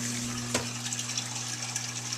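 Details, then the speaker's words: Whirlpool Duet Sport WFW9150 washer, after repair of a jammed drain pump (F9 E1 error, broken piece removed from the impeller): steady low pump hum under rushing water, no grinding or rattle, discharging into the drain pipe; normal drain pump operation. "and we're getting discharge into the drain pipe. We're going to let it pump all the way out."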